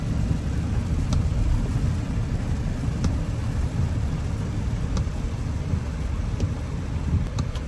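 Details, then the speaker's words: Audi Q7 supercharged V6, after repair for a scanned cylinder 6 misfire, cover back on: low even idle rumble with no stumble or uneven beat, only faint ticks, no vibration; smooth normal idle, no misfire. "right now it's already start no vibration everything is good"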